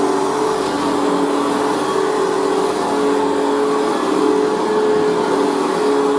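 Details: Machine boxed for about 40 years and not run in years, on its third position: a steady motor hum with a faint dry scratch from brand-new carbon brushes still bedding in, heard on rundown; otherwise runs very well.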